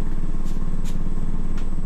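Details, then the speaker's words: Small Axminster mini wood lathe, bench- and wall-mounted, with an eccentric jig set at its extreme off-center position at low revs: deep, steady pulsing rumble as the spindle turns; the off-center load shakes the whole lathe and bench at any speed. "but you see the reds are quite low now you can hear the sound I mean I'm on the going at any speed it's vibrating like M unless you a really"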